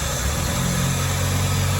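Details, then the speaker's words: Freshly built engine's first start, before coolant bleeding and warm-up, starting much better than a previous build: a steady low drone settling into an even idle with no tapping or misfire. Normal, healthy idle. "what i found out about this engine that we've built it starts loads better than the other one that we had built"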